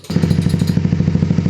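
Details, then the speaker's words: Honda CBR150, formerly noisy and hard to start, running after repair: quick, even popping beat at about thirteen pulses a second with no knocks or clatter; healthy single idling steadily. "Kung nakita niyo umaandar na po 'yan."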